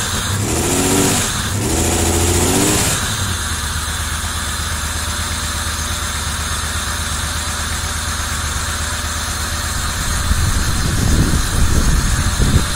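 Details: 1990 Camaro RS after 12–13 years sitting, new fuel pump, plug wires corrected to firing order, timing not yet set: crank then steady even idle with a few throttle blips, runs smoothly; normal idle.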